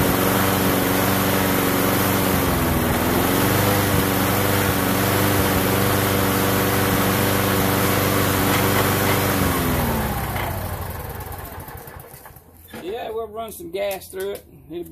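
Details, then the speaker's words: Lawnmower after cleaning its ethanol-gummed carburettor, old breather still fitted: smooth, even drone at steady speed for about ten seconds, then it winds down and stops. Normal running after repair. "I'm like everybody else everybody we all want it now so we got mower running again"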